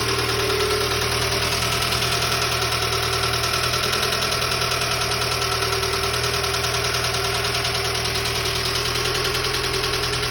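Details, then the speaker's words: Dacia Sandero 1.2 petrol with lots of oil underneath: heavy, loud metallic knock riding on the idle at about three per second; severe internal engine knocking. "So, Dacia Sandero, 1.2 petrol, severe knocking noise and lots of oil underneath."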